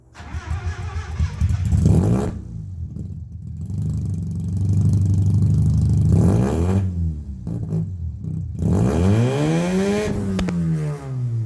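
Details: Austin-Healey Sprite after fitting a welded Flowmaster Hush Power muffler: engine catches and is blipped several times, a deeper, smooth note rising and falling cleanly with throttle; sounds healthy.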